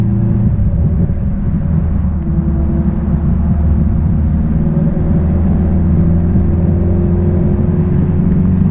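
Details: 1966 Triumph Spitfire, rebuilt 1147cc engine, driving after fuel system stripped and lines flushed: steady, even low exhaust drone with smooth throaty note as car pulls, no misfire or knocking; engine running strong.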